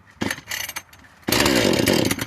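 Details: Husqvarna 435 two-stroke chainsaw cold start with chain brake engaged, choke pulled out and primer pressed six times: a couple of sharp pops, then it catches and buzzes briefly on full choke; fired, so push the choke in.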